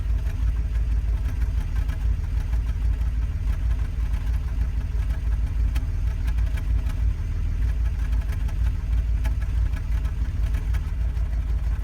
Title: BMW 325i E92 Cold Start Misfire